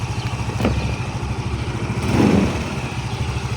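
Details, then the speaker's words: Yamaha Mio MXi 125, one month after overhaul with new connecting rod, cylinder block and side bearing, at idle: even thump with light tinny clatter on each beat from a loose body casing vibrating, not the engine. "Vibrate lang yung kaha. Ito maluwag."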